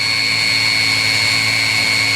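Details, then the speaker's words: 16 kW Chinese diesel water heater after shutdown: steady, even high-pitched fan whine with no burner roar; normal purge, fan and glow plug running to clear the burner chamber. "as is the norm of these heaters as they uh shut down they run the fan and it's also now running the glow plug again just to make sure it's got everything out of the burning"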